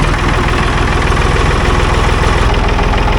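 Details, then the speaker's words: 1965 Ford tractor with a 3.3 L Ford three-cylinder diesel, 60 hp at the PTO. Just after start-up it holds a deep, even idle chug with no misses or knocks and no smoke; just purring, a healthy idle. "Is that not impressive? Sounds so nice. No smoke. She's just purring."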